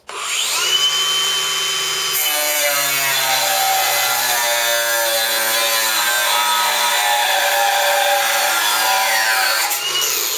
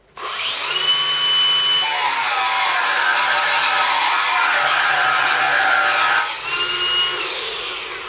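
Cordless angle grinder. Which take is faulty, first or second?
second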